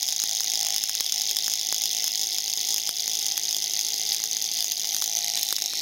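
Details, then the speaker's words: Tiny motor kit rated for 1.5 V, cranked from 24 V to 32 V at about 1.8–2 A: a shrill, steady high-pitched hiss with constant crackling clicks as it speeds up. Overvoltage overspeed, with visible burning. "Oh, you can see it's burning. Oh, you see it? Look at that. Oh, dude, it's getting faster."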